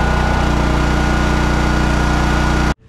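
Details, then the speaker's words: Dual-fuel portable generator on propane, feeding a house through a 220 V plug and running lights, refrigerator and well pump: steady, even hum with no surging or misfire. Normal running under load. "now you can see the lights are on let's check refrigerator is running everything's good the generator you can hear it humming in the background"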